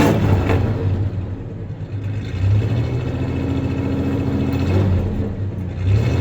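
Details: 1993 Ford Ranger 3.0 V6 idling then a short rev: low rumble with uneven, lumpy beat and odd stumble carrying into the rev; slight misfire; clanking is bed tie-downs, not the misfire.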